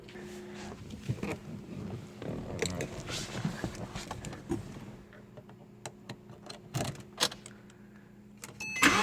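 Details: 2007 Porsche Cayman base 987 after replacing spark plugs and coil packs (cylinder 4 coil had water and misfired); engine catches, fires up, quick revs rise and fall cleanly with no stumble: normal running.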